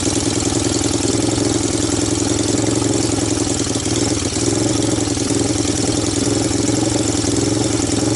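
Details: 1998 Honda TRX300EX single, abandoned a year, first cold start via jump box, portable CDI and starting fluid: loud blatty wavering idle, running rich, with faint top-end clicking that sounds not too bad.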